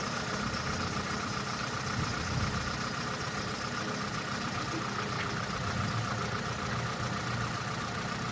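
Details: Opel Corsa D, 2011, 1.2 L (1229 cc) petrol A12XEL, 63 kW/86 PS, 150,980 km at steady idle: a dull, faint knock buried in the engine noise; rod knock, diagnosed as connecting rod bearing damage.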